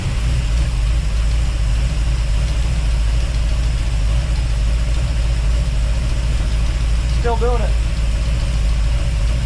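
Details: 1955 hardtop V8 at idle, running without the alternator. A light, quick clacking rides over a steady idle. The cause isn't confirmed; the fuel pump push rod is suspected, as it fell to the bottom when the pump was removed.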